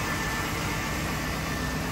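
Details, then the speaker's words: 1959 Cadillac truck V8 after long storage, electric fuel pump hot-wired: even, steady idle with no misses, knocks or surging, not overheating, no tailpipe smoke; runs smoothly. "look how good this thing runs like butter I love it"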